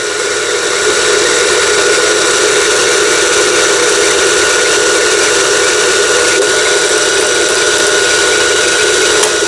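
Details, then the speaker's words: Lion JF1012 mechanical sewing machine, about 25 years old, after repair: pulley pulled out so only the bobbin winder runs, steady whir with light rapid ticking, no knocks or grinding; bobbin winder operating normally. "요걸 빼게 되면 북실 감기 장치만 작동이 되는 거죠. 기계식으로 되어 있어서 굉장히 편리한 기계입니다."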